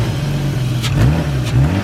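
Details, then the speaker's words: BMW wagon after replacing ignition coils to cure a misfire; engine blips up and settles back cleanly twice with no stumble, sounding much smoother than before. Smooth revving after repair. "Listen how much better that sounds. So much smoother. So much smoother."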